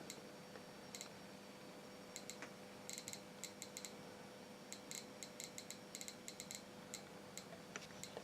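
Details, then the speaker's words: Repaired 1960s–70s Soviet DP-5A Geiger counter: sharp random clicks, a few per second with uneven spacing, over a faint hum; detecting normally after a loose connection was fixed. "so yeah it's working pretty good as you can see"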